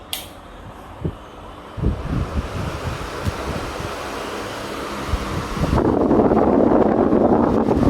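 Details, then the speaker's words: Crompton Storm 2 18-inch wall fan, 4-pole 90 W motor, newly installed, regulator on full speed: a few handling knocks, then a steady even whoosh of air with no rattle or wobble; runs smoothly at full speed without vibration. "as you can hear the noise of the wind, the airflow is pretty decent and the fan has no vibrations at all."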